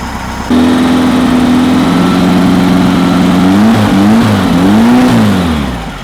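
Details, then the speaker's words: Freshly built VW flat-four for a Baja Bug, still cold, 50 lb oil pressure at idle: a smooth rev that climbs and falls cleanly with no misses or stumble. "boy what a difference you can you can hear how well it runs too as compared Locker there sweet yeah beautiful beautiful"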